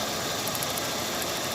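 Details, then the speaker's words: Chevrolet Optra idling rough with jerky running and slightly long cranking: loud uneven stumbling beat with vibration under heavy hiss; misfire, coil current found low on cylinders 2 and 3, cylinder 1 fine. "ये सेवेडलेट की ऑप्ट्रा, इसमें मिसिंग की प्रॉब्लम है। ये देखो, यहाँ देख लो आप, वाइब्रेशन है।"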